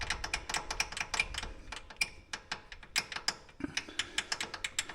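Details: Polaris Ranger 570 SP Premium rear makes sharp, uneven metallic clicks and rattle, several a second, from loose rear brake pads tapping in the caliper; axles and transmission were fine.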